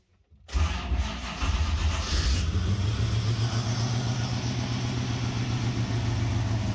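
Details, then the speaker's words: Ultima GTR V8 supercar sat 7 years unrun in a warehouse, cold, no coolant yet, oil pressure confirmed: catches after short crank, settles into steady even low rumble with small throttle blips; runs smooth, no apparent injector problems. "All right, guys, there you have it. The Ultima GTR is alive, and honestly, it runs surprisingly good for having sat in the corner of a warehouse for 7 years, not running."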